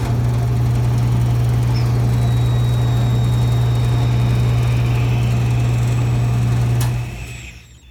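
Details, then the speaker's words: Brake booster on a bench test: it works. A loud steady low bench vacuum pump hum carries a faint thin hiss, then cuts off. Brake booster vacuum leak. "So the booster is working. The problem is this vacuum loss right here. You hear the vacuum loss?"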